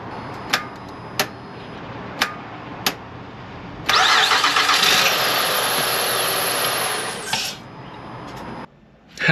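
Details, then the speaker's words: 2007 Honda Pilot no-start, starter tested with test light for power and ground: a few sharp single clicks, then it cranks and catches into steady idle; intermittent starter motor failure, starter needs replacing. "it started again this starter motor definitely needs replacing"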